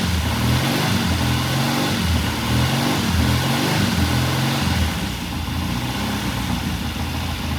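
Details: 1969 Triumph TR6 vintage British motorcycle, pilot jet cleaned and pilot air screw turned in half a turn for a richer starting circuit; warmed up after a cold start, the twin holds a steady loping idle with an even low thump, no misses or rattles: normal warm idle.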